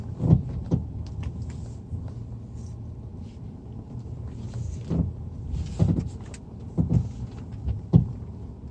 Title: Стук подвески